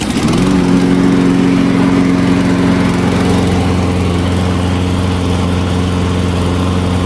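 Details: Small engine after fuel line cleaned, fresh fuel and new filter: catches at once and holds a steady, even drone at constant speed with no surging, hunting or misfire; running smoothly.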